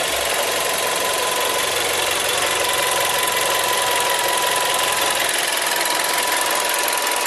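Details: Seat Leon TSI 140, warm engine at idle: steady thin whistling tone over hissy idle, unchanging; abnormal, source unclear.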